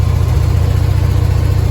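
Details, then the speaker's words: Willys CJ3B with a freshly swapped F-head engine, replacing an L-head, running cold right after timing was roughly set: deep, even thumping idle, steady low pulse, no knocks or misses. Normal cold idle with good oil pressure. "okay went through and kind of set the timing and actually it fired right up so that is good news"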